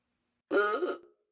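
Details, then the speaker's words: 1930 Ford Model A horn, tested on a battery before disassembly: short half-second buzzy, nasal duck-like quack with no rising ooga sweep; weak distorted horn. "okay it kind of sounds like a duck to me"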